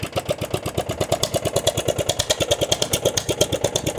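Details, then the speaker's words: Murray riding mower neglected outdoors about 5 years, running on full choke with gas dumped on the carburetor and no muffler: uneven, lumpy, stumbling firing with flames from the exhaust. Rough running; owner suspects a fuel delivery issue. "full choke and you can hear it's not super happy lots of flames shooting off the exhaust which I don't have a muffler on it"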